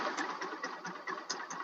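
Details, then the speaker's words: Rusi Macho TC150 (Pantra) single-cylinder motorcycle at idle, idle slightly raised, just after fitting a new online-bought tri-electrode spark plug: quick, even putter with no misses or knocks, engine sounds healthy. "Yan yung tunog niya sa minor ng ating nabiling spark plug sa online."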